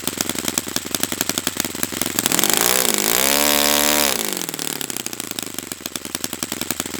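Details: Brand-new customer Saito FA-100T twin on a test stand during a break-in run; fires evenly, climbs through a smooth rev sweep and settles back with no misfire or stumble. Normal running.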